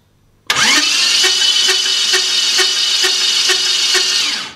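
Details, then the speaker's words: First start of a custom 1967 Dodge Dart drag car, flywheel spaced out with high-strength bolts: a harsh metallic scrape rides over steady cranking, beating about twice a second. A mechanic believes the starter is mounted incorrectly. "Well, we have a certified mechanic that's pretty positive that our starter engine wasn't mounted 100% correctly."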